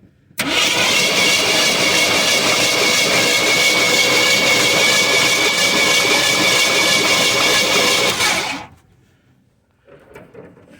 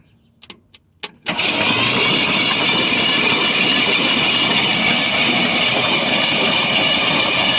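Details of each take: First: 1973 Ford F-250 unstarted for 18 years, cranking for a spark test: steady fast cranking about 3.5 beats a second for eight seconds, never catches; no spark at the plug though points spark, owner suspects plug or wire. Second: 1973 Ford F-250 sitting 18 years, oil added, plugs out, starter hit with a screwdriver: after clicks the engine spins quickly and evenly with a steady whir, turning over freely and not locked.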